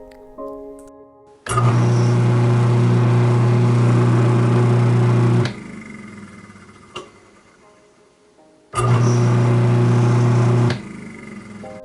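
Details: Garbage disposal that had been turning hard and making noise, reassembled after repair (silicone still drying, no water), runs dry twice with a smooth, steady motor hum, sounding healthy, over soft background music.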